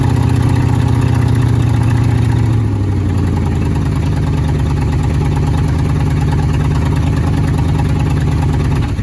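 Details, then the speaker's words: 1977 Ford F-150 with a 302 V8, first drive after sitting 19 years, tires flat: the rough low idle sags and lugs when shifted into gear without throttle, the beat slowing until it stalls; cause not known. "oh she dies when you go into gear well I'll put it in gear and I'm not hitting the throttle I'm waiting for it to like fully move"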